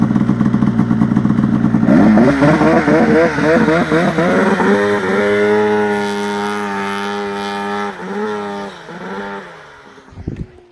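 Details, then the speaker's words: Polaris RMK turbo snowmobile in cold snow before a trip: the engine revs up raggedly with a wavering, uneven note under acceleration, then sags and dies off. Something is clearly wrong under load. "That doesn't sound good at all."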